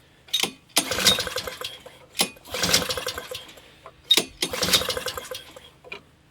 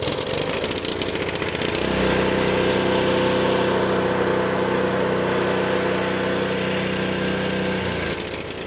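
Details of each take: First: Free, discarded Honda HS520 four-stroke single-stage snowblower: repeated recoil pulls with brief chuffing turnover that never catches; owner thought it was flooded, but the engine is dry with zero fuel reaching the cylinder. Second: Honda HS520 snowblower 4-stroke after fuel starvation diagnosis, started on choke: small single-cylinder engine catches and settles into a steady even idle with no misses or surging; running normally.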